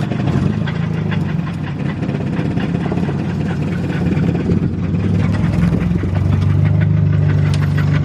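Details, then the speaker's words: 1987 Toyota Corolla, second engine fitted, sat since October 2020, running: low rough idle with uneven tapping about three per second, noise seeming to come from top of engine; source not identified. "I think that's. It sounds like it's coming from the top."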